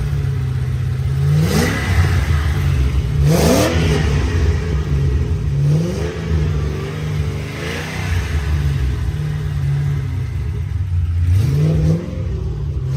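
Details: 3V Mustang GT 4.6 V8, newly installed engine with new clutch, flywheel, headers and Steeda underdrive pulleys, after first start: loud exhaust with repeated clean pitch rises as revs climb and drop, no knocks or rattles; normal revving.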